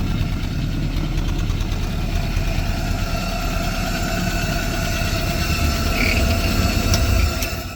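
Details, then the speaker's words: Willys CJ-2A Jeep running for the first time in 20 years, driving around the yard with no air cleaner on the carburetor. Steady running with a loud sucking intake roar and a slightly uneven beat. Not running quite perfect yet. "I need to get an air cleaner on that carburetor cuz it's just you can hear it"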